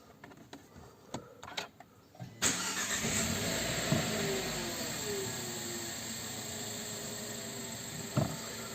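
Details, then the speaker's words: 2018 Renault Megane 1.2 petrol at about 37,000 km, started just after an oil and filter change to fill the new oil filter; a few clicks, a quick catch and a smooth, even idle with no knocks or misses. "agora vamos ligar o carro vamos deixar meio minuto e um minuto para carregar o filtro de óleo e vamos verificar o nível novamente para ver quanto precisamos"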